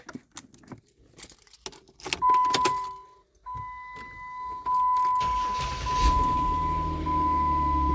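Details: 2010 Jeep Wrangler JK 3.8L after starter replacement; the old starter hung up when cold: a single firm crank catches quickly, then a steady, even idle with no grinding or rattle; the new starter gives a healthy start.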